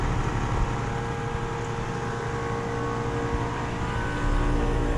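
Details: Commercial AC/package units running in 102°F late-afternoon heat: steady even fan rush over low compressor hum, no knocks, rattles or squeals; normal running.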